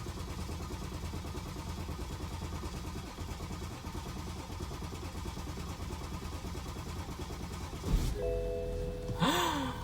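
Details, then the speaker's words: BMW 530d after broken timing chain rebuild (new timing kit, replacement cylinder head, head gasket, rockers), fresh fuel filter, start attempt; about eight seconds of steady starter churn without catching, then a change as it finally fires. "Let's have another go, see if we can get it to crank. Oh, it's trying. Lots of trying."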